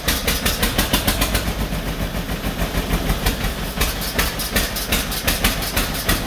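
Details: 1949 John Deere B two-cylinder, first start after rebuild on used spark plugs: loud uneven popping about three beats a second, stumbling, not settling, running rough; owners suspect throttle or a plug, cause unconfirmed.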